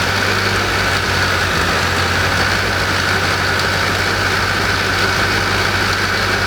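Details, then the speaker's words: AE86 sitting over a decade, first run after stock engine swap, barely revved: steady idle with coarse, slightly uneven note and faint grinding hum; owner suspects worn, groaning alternator bearing and dented alternator pulley tearing the belt. "so when I first started it in that video it sounded like something was like like grinding a little bit or like just wasn't right"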